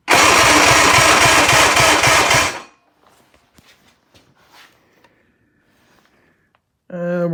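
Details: 1958/59 Johnson 50 hp "Fat 50" outboard, cranked during a cylinder 2 compression test: about two seconds of fast, even cranking with regular compression pulses, no drag or skipping; reads about 100 psi.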